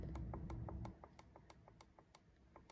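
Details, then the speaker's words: LG inverter washing machine start/pause button tested with a multimeter on beep setting: repeated crisp clicks but no meter beep, so the start switch has no continuity and is faulty. "हमारा click की आवाज़ ए रही होगी click कर रहा हूं लेकिन यह साउंड नहीं दे रहा"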